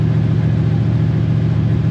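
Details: Chevy Suburban 454 V8 that used to die when revved because of no fuel pressure. After dropping the tank and redoing the fuel lines, it holds a deep, steady rumble on throttle with no stumble or sag and runs healthy.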